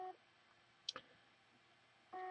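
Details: Hard drive after a PCB board swap from a new replacement drive gives short mid-pitched beeps about two seconds apart with no spin-up whir. The drive won't start and recovery was unsuccessful. The owner suspects the drive itself is burned rather than the PCB.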